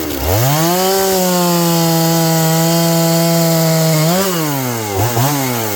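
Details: John Deere CS81 chainsaw cutting wood after revival: strong steady high buzz holds pitch in the cut, dips briefly under load and recovers cleanly; carburetor okay, burning black off, muffler dried up, running properly.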